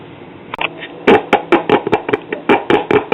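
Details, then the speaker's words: 1968 Audiotronics 300E tube classroom record player with a 4x10 speaker, after a leaking filter capacitor reformed and B+ rose to about 190–197 V. Irregular thumps and scrapes about two per second pass clearly through the speaker; the amplifier is working. "yeah our amplifier is working so what I want to do is turn this off for a little while let everything cool down"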